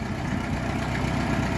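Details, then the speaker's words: Ford 8N tractor with a 6-volt system, unrun for four to six months, started in cold weather after a fix for hard starting hot and cold. It starts almost instantly and idles with a low, even chug, no misses or knocks. "how fast at that start it started like almost instantly that's how it should be"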